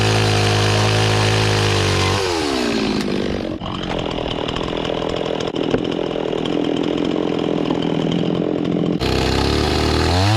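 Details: Restored old Stihl 026 two-stroke chainsaw after carburetor cleaning, cutting wood with a rusty, dull chain: high revs drop and bog slightly under load in the cut, then scream back up; oiling properly, pulls well, healthy.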